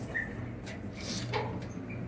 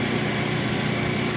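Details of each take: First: Clothes dryer after greasing in place of new felts, quieter than before but still noisy: steady low rumble with irregular knocks and thumps every few seconds from the worn drum; noise reportedly stops after running a while; replace drum or live with it. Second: Repainted used clothes dryer, dirty inside, tested working: steady, even hum with soft motor whir and no knocks, squeals or scraping, very quiet; normal running.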